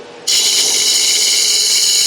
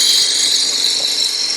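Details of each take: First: Wood lathe turning a 4x4x4 inch blank for a lidded box: steady cutting hiss with light irregular ticking as the gouge taps on the blank not yet trued round; tapping stops once it runs smooth. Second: Lathe turning a 4x4x4 end-grain blank with a spindle roughing gouge: a steady, even cutting hiss with no tapping. The blank has been trued, so the cut runs smooth.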